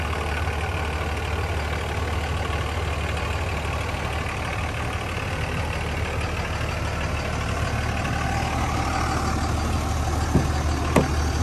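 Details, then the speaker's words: 2003 Dodge Ram 2500 Sport 4x4, 5.9 Cummins diesel, automatic, 85,668 miles, one owner: steady, even low diesel rumble at idle with no knocks, misses or rattles; healthy. "let's go ahead fire this five nine up so we can hear it start"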